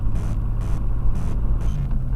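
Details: Chevy Blazer 4.3L V6 at idle, no check engine light: dull, regular knock about twice a second over the rumble, not metallic-sounding; flexplate doubted, valves, rockers and lifters to be checked, cause unclear.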